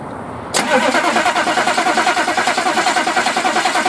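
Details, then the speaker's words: Chevy P30 food truck with a 6.2 diesel: the starter turns it over evenly but it never fires. Owner suspects a fuel system or injection pump problem; afterwards no fuel appeared to pass through the fuel filter. "I still think I have a fuel system problem or an injection pump problem so that's going to be the next thing to do first we have to get it rolling over then we got to see what else we have to fix so let's crank her over let's see what happens"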